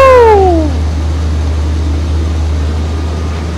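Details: 1977 Corvette C3 barn find, start after several cranks on a borrowed battery: the starter whine falls away as the V8 catches, then settles into a steady, low, even drone; it runs healthy, normal idle.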